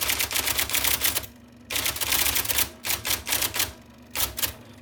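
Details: 1979 IBM Selectric II (non-correcting), revived after fixing a miswired plug and cleaning and lubricating; type ball impression knob set to middle: crisp, rapid clacks about four a second in bursts with short pauses; normal typing.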